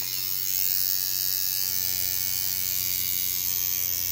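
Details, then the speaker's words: Steeldriver tattoo machine at five and a half volts, steady high-pitched buzz with a faint hum underneath, even and unbroken while working; sounds snappy and healthy, with bog in the middle and give on the back end. "still super Snappy off the middle test nice bog in the middle and give on the back end and this machine is flapping pretty good at five and a half volts"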